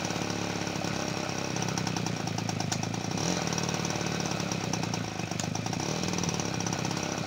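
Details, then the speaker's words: 1977 Peugeot 103 V moped after restoration, first start in a long time on full choke, held on the throttle: fast rattly two-stroke buzz that won't settle to a steady idle. "pour l'instant ça tient pas le ralenti j'ai rien"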